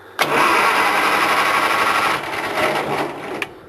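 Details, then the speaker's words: Farmall 140 tractor (1962 vs 1974 comparison), coil wire removed, starter only: strong, even whirring crank about three turns a second, no firing, grinding or drag; normal 12-volt starter cranking compared with the 6-volt starter. "you can hear the differences in the uh 12vt starter versus the 6volt starter"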